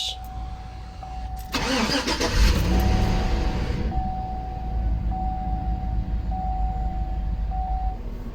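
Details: Chevy Tahoe V8 with a P0301 cylinder 1 misfire code: it cranks and catches with a loud surge, then settles into a low, fairly even idle, a normal start and idle.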